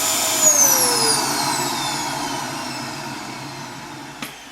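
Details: Dyson DC07 Origin vacuum reported to overheat and die after about 10 minutes: high strained whine fading lower, thin choked airflow with no motor rattle; sounds blocked, not the motor, and the filter proved clogged.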